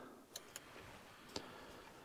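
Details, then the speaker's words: Bobcat S175 with no power to the cab, 12 volts back-fed from the battery by jumper wire; sharp isolated relay clicks as power reaches them and panel lights up, power present at fuse box but not reaching cab. "I heard the relays click everything's lit up so like I said I'm back feeding 12 volts but I've got 12 volts down in my fuse box but for some reason it's not making it up into a cab"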